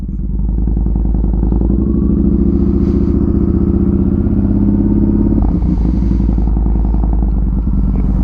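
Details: Motorcycle warming up after a start, idling with a steady low thump, fairly even with a brief stumble midway; the bike keeps dying, owner suspects the battery from not riding it enough, cause unclear.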